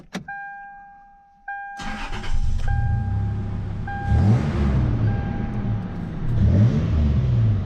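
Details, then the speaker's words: 2004 Toyota Tacoma (1st gen), just after installing a cold air intake: key chime, short crank, clean catch, then a steady idle with intake sucking hiss swelling on each blip; normal engine start. "Definitely hear the sucking in it. That's pretty good. I like it."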